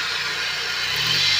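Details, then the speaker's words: Chevrolet Vectra revved with the hood open: a harsh high hiss and whine that swells with revs, from a worn alternator bearing, possibly the tensioner too. Owner suspected the alternator belt, and also bad plug cables and plugs causing cut-outs on acceleration. "Eu tô achando que é a correia, essa correia do alternador, galera, ó."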